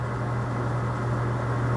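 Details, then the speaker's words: Maytag Neptune top-load washer (FAV9800AWW/FAV6800AWW) after a clutch repair for a UL/unbalanced-load error. The drum spins up fast with a smooth, even hum, freewheeling with no grinding: a normal spin cycle. "you can hear it spinning freely with no grinding noises if there was grinding it wouldn't even spin this fast it would just be spinning really slow drive you nuts"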